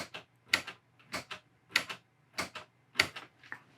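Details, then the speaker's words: Ampeg Reverb Rocket amp after reflowing a cracked footswitch jack solder joint: sharp, crisp double relay clicks about every half second with each footswitch press, channel switching now working. "But I can already tell this is fixed because when I press the foot switch, we can hear the relay click."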